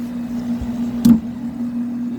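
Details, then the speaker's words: Vintage 1992 White-Westinghouse 5000 BTU window air conditioner fan motor: a steady low hum with an uneven rumble and a hard clunk, less bad on low speed; owner believes it needs thrust washers. Compressor runs hard with a plugged condenser. "the motor is pretty clunky and rumbly you leave on low it's not so bad so it needs thrust washers in the motor"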